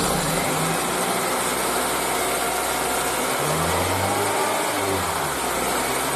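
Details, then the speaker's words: Honda Accord engine at idle: steady high chirping squeal that grows with the AC on and vanishes with slight throttle; serpentine belt slipping from insufficient tension, aged belt or weak automatic tensioner. "刚才我们可以听到是这个叽叽叽叽叽这样的声音，这个就是皮带声音。"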